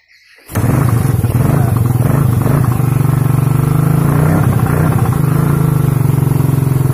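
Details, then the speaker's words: Suzuki Satria FU third-generation motorcycle, hard to start in the mornings, started without a battery: fires instantly and settles into a strong, even, slightly high idle; normal start and idle. "Oke Kang Bro ya, motor nyala ya, nyala, langsung gasnya agak tinggi nih."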